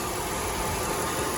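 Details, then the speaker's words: 1998 Oldsmobile Aurora V8, sat for years, warming up after its high-revving problem was traced to a faulty flap: a steady, even idle with no misses, surges or knocks over a soft hiss; runs normally. "So yeah, it sounds so good. Look at that. Sounds good."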